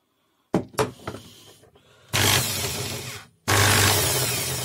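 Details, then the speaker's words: Corded PROTON screwdriver with case open: handling knocks, then two short motor runs with harsh buzzy rattle over the hum; rotor bearing is loose in its seat and the shaft turns with the outer race. "вот первых вот этот подшипник не крутится да он тут свободно телепается смотрите вот так и поэтому вал вал крутится вместе с внешней обоймы подшипника"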